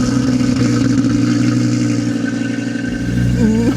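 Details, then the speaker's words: Audi RSQ3 five-cylinder, 80,555 miles, cold start with little fuel: fast idle with a slightly uneven beat underneath; owner thinks it is almost misfiring, and it calms as it warms. "It sounds a little bit like it's almost misfiring a bit, doesn't it? Cold start's calmed down a little bit now."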